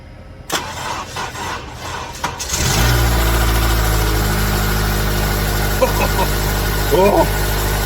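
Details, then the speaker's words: Honda Element SC, first start of a rebuilt swap engine with decked block: cranks, catches, settles into fast idle with a puffing tick; no water came out, owner first suspects vacuum leak, then a bad leak. "But it sounds It sounds like it's got a bad a bad leak."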